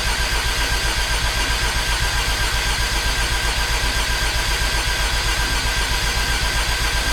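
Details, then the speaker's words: Rebuilt Mazda RX-8 Renesis rotary (RX-7 apex seals, boost clearance), injectors disabled, cranked for oil priming: steady even cranking about four beats a second, speed changes as oil pressure builds to 17 psi; normal. "Okay. So, obviously you could hear the oil pressure started to kick in because the engine RPM changed."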